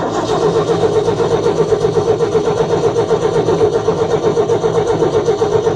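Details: Old truck, not started in a while and needing a new clutch, started in neutral by pumping the gas and holding it down; catches quickly into an even, steady pulse of about four beats a second, oil pressure good: smooth, healthy six-cylinder idle.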